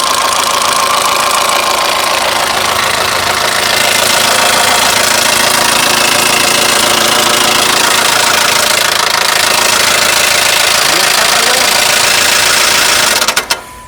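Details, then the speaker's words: Mercedes-Benz engine at idle with microphone close: loud, steady metallic clatter, about three knocks a second, tractor-like, caused by loss of oil pressure rather than chain tensioner or variator gears. "eh aquí lo que estamos teniendo Es una pérdida de presión de aceite"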